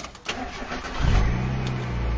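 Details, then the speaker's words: 1991 Mazda Miata MX-5 starting: a short quiet crank, then it catches within a second and settles into a steady, even idle. A clean, healthy start. "Starts right up."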